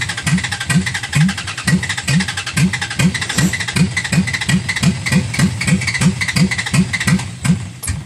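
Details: Cold hard start on a Dodge Ram: starter churns evenly, about three compression beats a second, engine never catches during a prolonged crank; cranking nearly 6 minutes, owner reaches for ether.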